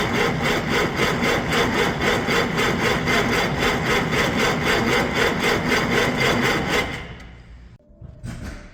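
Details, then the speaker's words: 1956 Century Resorter boat marine flathead engine, sat years in a field, first start attempt on 6V battery: steady cranking about four strokes a second for seven seconds, no firing; debris found in fuel, tank fuel suspected bad. "so we tried priming the fuel system again and you can see more of that junk just came out of there um I'm not confident whatsoever that the fuel in that tank is going to be good"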